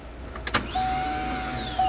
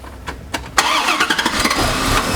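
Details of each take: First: 1996 Corvette C4 Grand Sport, gauge fitted, key on: short pump hum rising in pitch then cutting out; pressure builds but drops to zero almost immediately; fuel pump suspected failed. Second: 1996 C4 Corvette Grand Sport with long cranking after sitting, fuel pump suspected since pressure drops to 0 psi: a few quick cranks, it catches cleanly and settles into an even, smooth idle; runs perfect, so not an injector.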